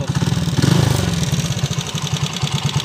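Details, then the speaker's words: TMX155 single-cylinder motorcycle with sidecar, timing gear newly replaced yet still noisy and burning oil; at idle a busy metallic clatter over the thumping beat, caused by crankshaft end play. "medyo maingay na rin Ong makina niya number one timing gear"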